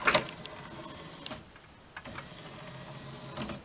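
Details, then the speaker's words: NAD M5 SACD/CD player after cleaning the dirty tray and disc mechanism and fitting the tray belt: soft whirring with light clicks while reading the disc, the earlier grinding gone; normal quiet disc reading. "cichutko tak a nie ma tych zgrzytów który był wcześniej"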